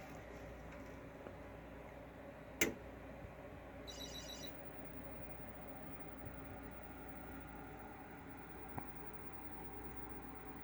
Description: Makes a nice hardware Chirp and comes to life.